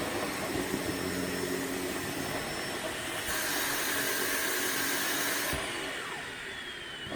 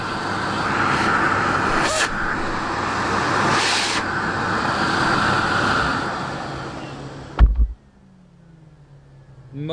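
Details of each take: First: Sebo K3 Premium vacuum during a heavy pet-fur pickup test: a steady motor roar shifts pitch partway through as the airflow chokes. Suction drops because the dust bag is packed full. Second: Sebo K3 Premium vacuum cleaner switched on: a steady, even rushing motor roar with no rattle or scrape, then a clean switch-off. The motor sounds healthy.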